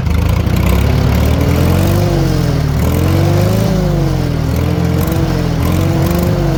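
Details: 1940 Farmall H with M&W 9-speed, while turning the distributor to set timing; deep even drone with gentle rise and fall in revs, no misses or popping. Bad timing was a big cause of earlier poor running; carburetor may need work: normal running.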